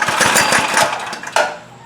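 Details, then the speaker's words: Trailmaster go-kart with a Chinese Honda-clone engine, after sitting over a year: rapid even chugging while cranked on choke with the key on, about twelve pulses, never catching; fuel starvation from a dirty carburetor. "Yeah, it's not going to run like that. My bad. My strike. Still nothing."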